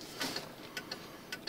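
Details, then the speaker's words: 1995 Cadillac Fleetwood, left turn signal after sitting out in rain: quick light ticking, faster than a normal flasher; hyperflash traced to a bad bulb socket contact. "car outside and I turned on the blinker and it started blinking really fast it's the left one"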